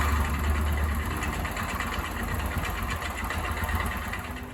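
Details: YES 125 motorcycle idling: an uneven, light clatter rides on the engine beat about three times per second; an abnormal mechanical engine noise, cause unclear.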